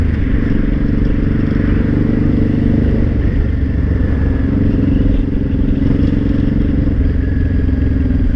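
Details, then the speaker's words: Honda Shadow 500 V-twin ridden under throttle with a rough clattering rattle that stops when the throttle is released. The cause was broken and loose flywheel bolts lacking the Loctite the manual calls for. "interesting okay so I'll throttle it stops yeah I let off the throttle it stops that makes me think it's in the gearbox"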